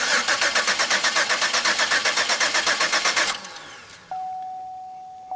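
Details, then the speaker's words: Pontiac Aztek after 8 months sitting in pieces, fuel pump primed: starter spins the engine at an even four beats a second for about three seconds, never catches; cranks but won't fire. "I hear the injectors resetting so that's good okay here it goes nah not the way I was expecting"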